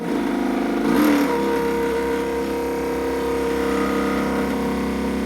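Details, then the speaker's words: Custom 60-inch RC boat, 12S electric motor driving a 70mm 3D-printed jet drive, after a hardware-store coupling fix and greasing, first dry run: steady, even motor whine after a brief throttle rise, no grinding or rattle; spins impeller easily and quiets out. "Throttle neutral, bringing up the throttle. It has no trouble spinning the impeller."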